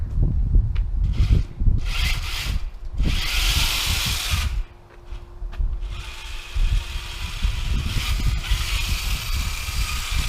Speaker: well seems to be working seems to be working uh I don't think those gears are going to last very long though based on that grinding you can hear